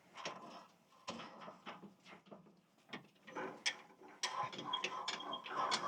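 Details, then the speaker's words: Sawmill head lift crank after replacing failed thrust bearings (previously crunchy and grindy), bearings tight and freshly greased: uneven clicking and ratcheting, no crunch or grind, slightly stiff; normal after repair. "See how nicely it works. Well, it seems pretty smooth anyway. Maybe a little tougher because I got the bearings actually tight, and there's some grease in there, but oh."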